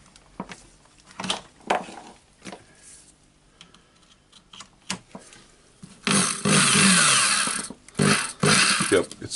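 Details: Hilti SF4000 corded drywall auto-feed screw gun after replacing the HK1312 needle bearing: after some clicks, the motor spins up with a steady, even whir and runs cleanly; normal running.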